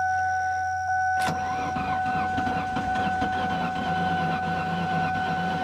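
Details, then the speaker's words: 2003 Ford Taurus, sat about a year, rough shape, after fiddling battery connections: starter churns engine unevenly about one beat a second without firing; owner suspects catastrophic engine failure, unsure; cranks, no start. "That don't sound right. I don't think this one's gonna run. Yeah, that's sounds kind of like catastrophic failure."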